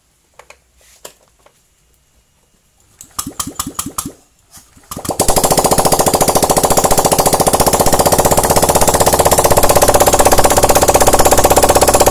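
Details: Honda Vario 125/150 injection engine just rebuilt from scratch, cylinder head cover still off to check oil flow: a few short cranking bursts, then it catches and settles into an even, rapid, steady idle; healthy.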